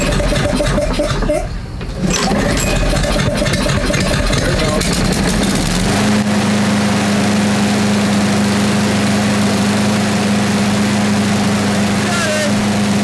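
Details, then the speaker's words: Craftsman 6.5 hp self-propelled mower with a Briggs 190cc engine that ran rough and then wouldn't start, tested after carburetor and cable repair, bail held, no leaks: a few rough pulls catch, then a steady, even drone without surging or misses; it runs right. "Right, it's looking good."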